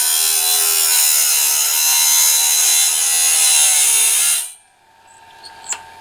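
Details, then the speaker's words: Norwood BladeMate Pro band-blade sharpener, gullet grind after height adjustment screwed back so stone drops further: steady high hissing grind for about four seconds, then stops; stone drops too far into the gullet, cutting too deep. "That might be a little more than what we'd like. I'm going to raise it up just a bit."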